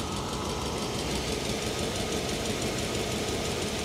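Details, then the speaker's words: 1990 Mercedes 560SEC V8 at idle: steady note with a faint, uneven, slightly shaky pulse and a breathy puff about three times a second; no ticks or knocks; suspected exhaust leak or failed exhaust hanger, spark plugs also guessed. "I'm guessing some spark plugs maybe she is a little shaky"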